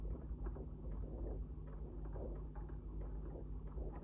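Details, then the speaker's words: Singer 99 sewing machine (same mechanism as the 66) stitching with the bobbin cover off: thread pulled around the bobbin case catches and shifts it, giving soft, regular light metal clacking about three per second, a normal characteristic noise, nothing wrong. "And when it does that, it actually causes a noise as the bits of metal move together, and that is a definitive noise of the 99 and the 66 machine."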